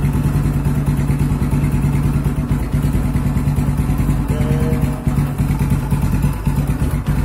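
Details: Yamaha Scorpio Z after 6-plate clutch lining and clutch housing replacement and clutch spring holes shifted 180 degrees: smooth, regular idle pulse about three per second, no knocking, earlier clutch rattle gone.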